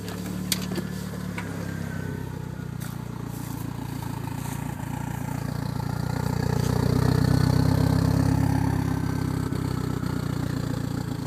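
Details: DSM with a lean idle and cruise misfire, sputter and bog: idle hunts and stumbles with uneven low pulses and occasional dropouts, then rises and settles; rough idle misfire, cause suspected, not confirmed.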